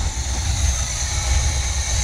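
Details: 1971 Chevy K10 4x4 pickup, small-block 350 V8, just restarted after sitting 10 years, choke on, running low with smoke: deep, even idle with no ticking or clatter; valvetrain quiet and healthy.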